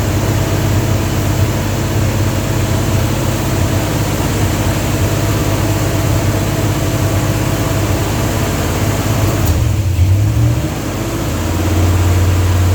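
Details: Dodge 360 Mopar LA V8 truck with Holley double-pumper carb, idle turned up: uneven, wavering lumpy idle with a brief sag, won't idle below about 1,500 rpm; owner suspects serious vacuum leak at intake or carb gasket, unconfirmed.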